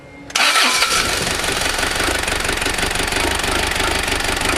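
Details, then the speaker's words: 1995 Mazda Bongo Friendee diesel's first start after installing the cylinder head, with no coolant yet, glow plugs used, started from the key. It cranks briefly, catches and runs loud with uneven clatter, rough while air bleeds from the injectors, then starts smoothing out. "probably going to be a little rough here until those injectors get free of the uh air but what a difference in sound"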